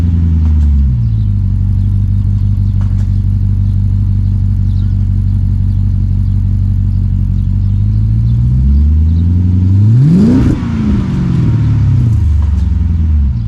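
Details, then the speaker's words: 2006 Dodge Magnum, center suitcase muffler replaced by two pass-through Magnaflow mid mufflers, tailpipes not yet hooked up: loud, deep burbling idle, then a quick rev that climbs and falls back; raw unmuffled exhaust. "okay mid mufflers are on tailpipes aren't hooked up yet still but i wanted to give like sound bites of in between"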